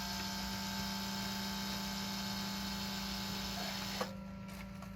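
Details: 2004 Lexus GX470 ABS brake booster pump, newly replaced, run during bleeding, filmed at the reservoir: a steady electric pump hum for about four seconds, then a clean cutoff as pressure builds while the fluid level drops; working normally.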